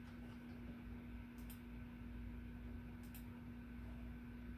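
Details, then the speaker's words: Encon/Firebird/Fanbird "Crusader" 42-inch (1050 mm) ceiling fan, new out of the box, on speed two via the solid-state speed control: low steady hum with a faint constant whine, smooth even spin; runs fine, bearings stiff from new. "okay one no two you're like oh okay oh okay yeah nice oh stiff bearings new out of the box"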